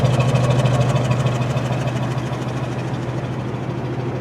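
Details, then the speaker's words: 1985 Buick Riviera, factory Olds 307 roller-lifter V8, carbureted, cold start; replaced factory-type exhaust with factory-type cat and Walker turbo muffler; steady even low idle, smooth exhaust note, no knocks or ticks; healthy, quiet normal idle. "It's a factory exhaust system. I mean, it's been replaced, but it's still got a factory type cat and a Walker Descent turbo muffler, and yeah, runs nice and decently quiet."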